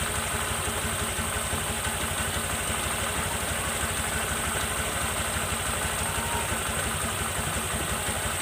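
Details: Honda Vario 125 LED scooter started after light service, CVT cleaned and reassembled: even, steady idle at a constant pace with no knocks, rattles or hunting; engine sounds healthy.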